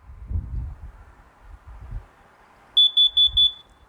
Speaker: that's carbon monoxide that's your carbon monoxide poisoning uh going off that's telling you have a uh high carbon monoxide four beeps silent four beeps silent